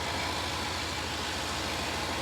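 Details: 2011 Range Rover Sport HSE Luxury after blown head gasket repair, previously smoking, leaking coolant and misfiring: smooth even idle with steady low pulse and no misses or stumbles; engine sounds healthy.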